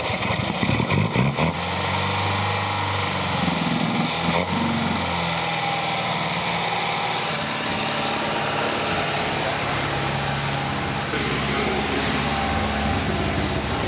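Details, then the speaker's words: 1979 MGB four-cylinder, belt removed, float bowl refilled, a little throttle: stumbles, catches and settles into a steady, even idle with a busy exhaust note; oil pressure a little over 50 psi, a little smoke; leaky float bowl and spark plugs were the fault. "But it ran. That's all it was a leaky float bowl and some spark plugs, and that fixed the issue, didn't it?"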